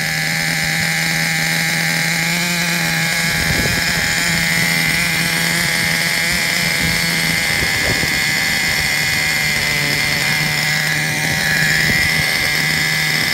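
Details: Traxxas Revo 3.3 nitro RC truck engine, retuned: high buzzy scream at fairly steady pitch with brief handling rattles; engine running fine. Engine good; truck needs new transmission, spur gear missing teeth, starter motor and one-way bearing.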